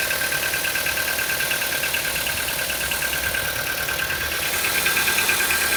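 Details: CFNA engine at cold idle: a fast, fairly even light ticking over the engine hum, a knock that appears when the engine is cold.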